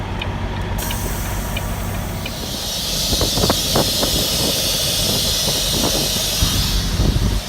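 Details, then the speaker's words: Semi truck running while trailer air supply is switched on to empty trailer tanks: loud steady hiss as air charges the tandem system before sliding tandems; normal charging. "Hear that air getting sent back there? She was empty. No way you can slide these tandems back without any air in there."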